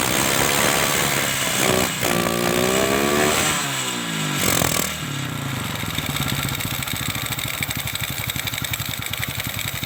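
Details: Kawasaki Kaze single-cylinder motorcycle used for hauling goods in mountains, brought in with lost ignition; after strong spark confirmed at ignition coil (CDI usually suspected), starter whirs, engine catches and settles into steady, even idle with no misfire or knock.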